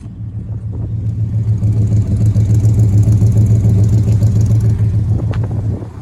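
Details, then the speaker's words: 1970 Chevelle Malibu numbers-matching 307 V8, rebuilt under 5,000 miles ago, with factory manifolds, newer dual exhaust and TH350 automatic; odometer 103,517. Exhaust gives a deep, even burble with steady rumble and no misses, ticks or rattles, sounding healthy. "Let's check out the engine. Sounds excellent."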